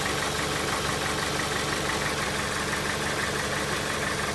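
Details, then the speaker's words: 2001 Dodge Stratus 2.4 engine, oil level always correct, compression 13 in every cylinder: rough idle with a steady knock about twice a second coming from somewhere below, long-standing and worsening, strong vibration; source unknown. "Dodge Stratus 2001 года, двигатель 2.4 EDZ. Что-то стучит."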